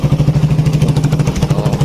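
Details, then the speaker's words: Suzuki Satria FU 150 after valve clearance adjustment, running with the exhaust outlet covered: steady low thumping idle, even and unbroken with no ticks or knocks. Engine idles smoothly and softly. "Lanjut kita coba nyalakan. Lembut suaranya."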